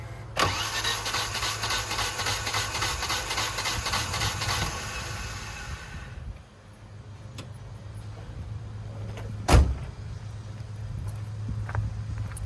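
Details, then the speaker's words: Volvo cranked while trying to run it on starting fluid, getting only one little spark: the starter spins about six seconds at an even, uninterrupted beat, then stops without catching. Crank-no-start. "But as far as this car, we're trying to get it to run on starting fluid. It's getting one little spark and that's it."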